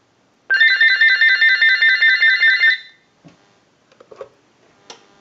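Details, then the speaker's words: General Electric 27909 cordless telephone on a test analyzer: crisp warbling trill pulsing evenly for about two seconds then stopping cleanly as the analyzer runs a ring cycle; normal ring cycle. "I want to go ahead and start a ring cycle with the analyzer so we'll start that we're going to let that go a few times"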